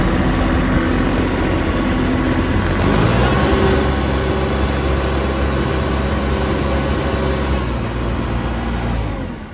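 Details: 2003 New Holland TC29D compact tractor diesel, first run after sitting three years, new battery; loud low clatter with uneven beat about four pulses a second that never settles; rough idle.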